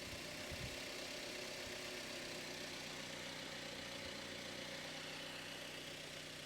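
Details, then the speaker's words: Mazda MX5 NC bought from Copart, first start: a steady even idle with no misses or knocks and no smoke, much less agricultural than the previous car. "this sounds way less agricultural than the the last one no smoke"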